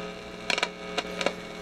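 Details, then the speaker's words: G.E. Model 250 vibrator-powered radio checked with a Heathkit signal tracer: steady low mains-type hum with faint crackly buzz; vibrator static heard even with the probe shorted. "you can hear the heath kit even with the probe shorted you can hear a vibrator static in there"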